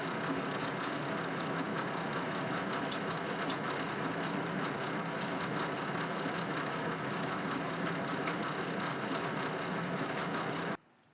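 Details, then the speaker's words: Old Rockwell lathe being recommissioned, gears unlubricated with light assembly oil on shafts: steady mechanical whirr with light rhythmic clicking three to four times a second; noise from incorrect backlash adjustment between two gears. "I figure out right away that here's the source of my noise is the adjustment between these two gears and after some playing around I wind up getting it right"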